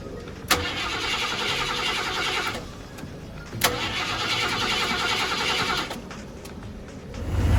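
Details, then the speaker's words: 1990 Ford F-150 XLT Lariat cranked via screwdriver jumped across two terminals with gas pressed, second attempt: two long cranking bursts with a gap, uneven churning and no clean catch to idle. Extended cranking, engine struggles to fire. "It's cranked all the way, right? Okay. Come on."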